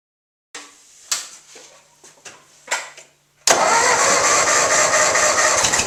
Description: A severe scraping rattle in the front of the 1958 Ford 841 Powermaster tractor turned out to be a failed water pump.